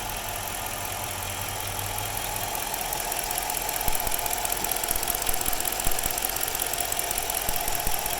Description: My 06 Chrysler 300 c 5.7 hemi at idle. Has a very rough idle